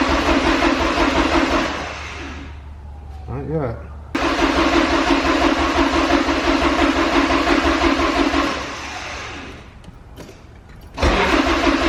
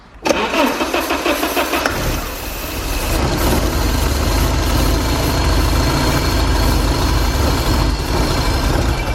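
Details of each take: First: Porsche 944 that sat 10 years, freshly fuelled, cranked with the DME relay deliberately pulled to build oil pressure: steady starter churn about three beats a second with pauses, never catching. Cranking with no fuel or spark; it fired once the relay was refitted. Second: Porsche 944 sitting 10 years, starting fluid sprayed into air-flow meter while cranking: brief crank, then catches and runs raggedly; spark present, no fuel delivered, runs only on starting fluid.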